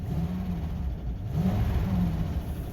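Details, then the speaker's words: 2000 Ford Excursion Triton V10, about 208,000 miles, after new spark plugs and coils, warmed up: low deep note rising and falling smoothly with throttle, no stumble; the cold-engine valve/lifter tap has stopped once warm; normal, smooth revving. "yeah that's that's better let's see here oh that's nice and smooth"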